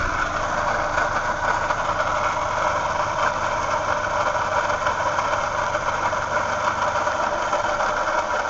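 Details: 2007 Toyota Yaris, running: steady rough whirring from the left, pulley side, unchanged by revving and briefly louder when the fan kicks in. The car drives fine; the A/C failed for a day last week, and a link is unknown.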